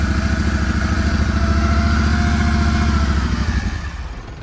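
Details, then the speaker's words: Finicky-starting farm diesel in Saskatchewan winter cold, battery needing replacement: settles into steady even chug after firing then fades out, no knocks or misses; normal running. "oh I don't know this guy might start it's pretty finicky at times that sounds pretty"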